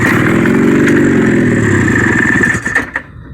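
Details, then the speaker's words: 1972 Honda Odyssey go-kart with custom 340 twin two-stroke swap, first start in 20 years on premixed fuel, fitted with the wrong (boat) carburetor. Crisp, buzzy note holding steady revs, then shut off; sounds clean and even: normal running. "well that sounded pretty good um one problem i have with this because this is the wrong carburetor"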